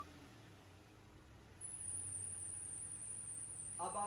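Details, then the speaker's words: Engine just after starting: a thin, high, steady squeal over a quiet engine that comes at start-up and then fades; a slipping, loose main fan/serpentine belt. "जब भी इस तरह की कोई आवाज़ आए जो स्टार्ट करने पे आए और फिर ख़त्म हो जाए, बहुत चीखनी सी आवाज़ हो, तो वो आपके फ़ैन बेल्ट की होती है।"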